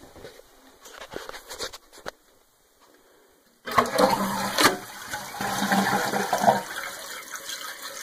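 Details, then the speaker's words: Toilet after fill valve replacement to fix a leaking, hissing toilet: strong, even rushing flush with steady swirl and refill, no hiss or gurgle, working normally. "guess it's time to give this toilet flush to see how everything works"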